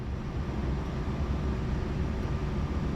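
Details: Fiat 124 Spider 2000 after replacing a faulty ignition coil: low, steady idle rumble with no stumbles, pops or hunting. Before the swap it would not idle below 1100 rpm and backfired through the carb on shutdown.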